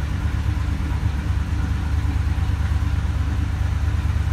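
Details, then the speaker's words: 2014 Ford F-250 Super Duty 6.2 V8, multiple-cylinder misfire from broken exhaust valve spring; shaking lumpy idle during cylinder contribution test, pops coughing back through intake, misfire counters climbing. "check our cylinder contribution there's that back popping through the intake I don't know if you can hear that Wow and if you look at our counters this thing is going nuts here"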